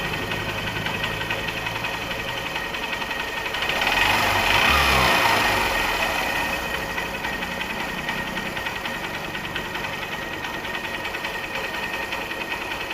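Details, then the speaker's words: Honda motorcycle after repair for white exhaust smoke: new cylinder block, timing chain, valve seals and gaskets, fresh engine oil. Steady single-cylinder idle with a brief throttle blip, light even valve ticking, no knocks or rattles; healthy. "तभी इस तरह का sound है इसमें, ऐसा बाहरी कोई भी साउंड नहीं है इसके अंदर।"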